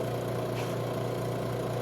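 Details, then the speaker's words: Robinair 134Z refrigerant recovery machine under diagnosis for a suspected failed compressor, new filter drier fitted: output valve opened, unit switched on, pulling vapor at about 20 psi; steady low even hum, no rattles or surging. Normal running. "And then turn this on. And then we open this. Okay, so we're pulling vapor. And we're at about 20 psi here."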